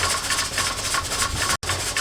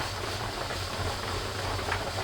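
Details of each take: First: Presto pressure canner processing raw-pack carrots: quick repeated hissing puffs as the weight rocks too fast instead of slowly; heat too high, being turned down gradually to avoid jar siphoning. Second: Presto pressure canner raw-packing carrots, heat at about 3.5–4, dial gauge nearing 11 lb: continuous airy hiss over low burner rumble as pressure builds, with the weight just beginning to jiggle, which is normal.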